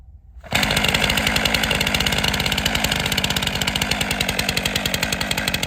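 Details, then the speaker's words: Chainsaw arm-lock start, chain brake engaged, stiff arm, pull start with right arm: catches at once and settles into crisp even two-stroke buzz; starts and runs cleanly. "arm lock start chain brake engaged stiff arm only operating pull start with right"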